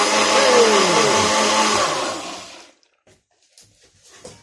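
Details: Nutribullet about nine years old that had started shrieking, run with water after cleaning the gunky base and refitting the seals: hard whirring spin under three seconds, pitch sagging slightly, no shriek; now runs normally.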